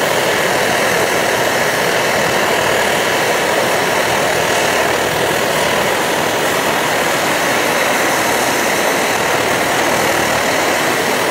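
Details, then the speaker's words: Optimus Hiker Plus liquid-fuel stove at full blast, kept pumped up, characteristic blue flame and Optimus sputter; steady roaring hiss with faint sputter holding constant: normal burner roar. "There, you can see it pretty good there now. The characteristic blue flame, the sputtering of the Optimus stove."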